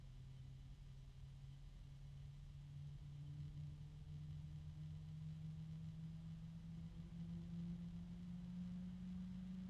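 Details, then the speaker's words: PC fan, possibly not at full speed (fan controller suspected), heard from the side opposite the intake: steady low hum with a clear tone creeping up in pitch and faint higher overtones, unusual harmonics assumed from fan composition; tonal noise, cause unconfirmed. "all right one more time yep there's a harmonic there there's another"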